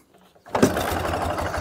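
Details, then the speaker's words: Ural motorcycle with sidecar at a busy idle with the clutch pulled: dry rattling chatter from between gearbox and engine. "того, что при нажатии на сцепление между коробкой передач и двигателем слышен такой шум? Это нормально, друзья?"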